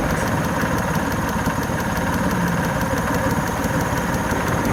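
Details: Suzuki F6A EFi three-cylinder idling steadily with a fast, even, light tick on top. A fuel injector is suspected as the source but not confirmed.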